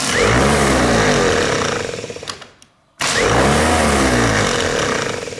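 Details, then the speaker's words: 1930s barn-find Citroen positive-earth Bendix throw-type starter motor, removed and spun on a metal bench: brisk even whirr with metallic buzz from the bench, stops and restarts cleanly; all four sets of brushes good, normal. "course it's making a noise because it's sat on this metal but all the brushes are good the four sets of brushes are fine on it"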